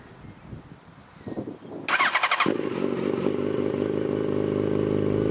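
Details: 2006 Yamaha FZ1-N, first start after fitting a Two Brothers Veil 2 slip-on exhaust, with wind and a hand over the mic: brief starter whirr, then it catches into a loud, steady, even idle. Normal start, healthy.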